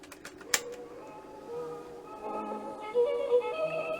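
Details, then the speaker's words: Music from a 50-year-old JVC 9407WH tape deck under repair, with a slow, uneven waver in pitch; the tape speed is unsteady, heard as wow and flutter. The cause is not yet confirmed. "what you'll hear is it's all sort of wobbly um so there's a couple of things that cause that so that's the wow and the flutter"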